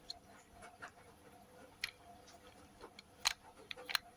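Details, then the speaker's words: Washing machine drain pump making an odd noise while pumping out water; a faint hum broken by irregular sharp clicks and rattles from a defective pump whose shaft and magnet rotor have play. "mi laa hace ruido cuando saca el agua un ruido medio raro bueno est una bomba defectuosa"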